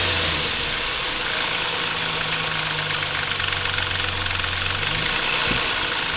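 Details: Intrepid 2.7 idling after water pump replacement: busy uneven ticking rattle over the hum, caused by timing chain tensioner not released correctly during installation; fixed afterward.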